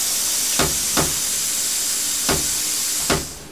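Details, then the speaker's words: Cheap Chinese plasma cutter torch after reseating the loose switch plug: steady air hiss with sharp clicks as the arc catches and drops, then dies. Owner suspects the torch trigger switch; intermittent arc cut-out. "stopped again see it's not doing bugger all so my theory is it's got to be the switch"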